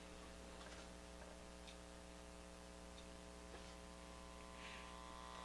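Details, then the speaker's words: Early-1950s Viking 53-38ARR tube table radio, first power-up on an isolation transformer: a steady low buzzing hum with faint static as it warms up and tunes stations, hum from a bad filter capacitor. "It's actually tuning in stations. Okay. But obviously we got a bad filter cap."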